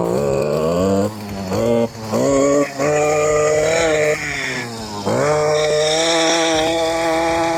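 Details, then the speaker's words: STIHL KM 56 RC-TC Kombi two-stroke, previously a no-start, after a teardown and replacement of worn parts, with old fuel being drained and replaced: at full throttle the pitch climbs and sags unevenly, hunting as stale gas mixes with fresh gas through the carburettor. "And you could actually hear when I was full throttling it, you can hear that crappy gas mixing with the good gas and it hitting a little times and going up"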